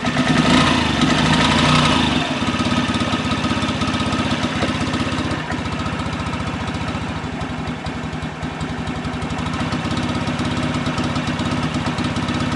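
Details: 2003 Honda Ruckus scooter that sat for years, clogged carb jet drilled out: single-cylinder idle about three beats a second, uneven after a brief rev; runs poorly, fuel delivery suspect.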